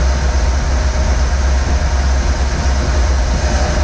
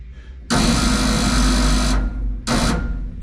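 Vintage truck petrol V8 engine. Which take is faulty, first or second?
second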